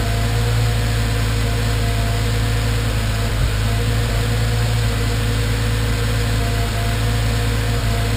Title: Random misfires